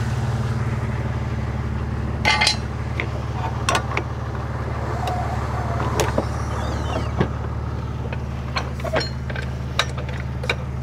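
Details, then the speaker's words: BMW E60 at idle, being checked as it warms up because the gasket was suspected of burning: a steady, even low exhaust drone with no puffing or ticking; normal idle. "vamos a ver si no hace ruido feo cuando caliente que es cuando suena mal porque imagino que estaría quemando la junta Eso espero voy a dejar un rato y ahora vemos bueno Esto suena bien"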